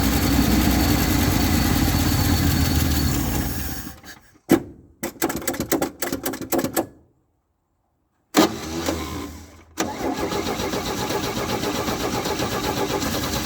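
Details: 1967 GMC panel truck, after a no-start traced to lack of fuel, with ether and fuel added to the carb: the engine runs, stumbles and cuts out, is recranked, then catches and holds a steady, even idle on choke. Normal idle.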